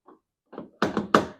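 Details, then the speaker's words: 2010 Toyota Yaris with a newly installed aftermarket keyless entry remote, final lock and unlock test: a faint click, then a quick run of crisp thunks as all door and hatch actuators fire; the power locks work normally. "And it works the same for all the doors. Oh, and the hatch."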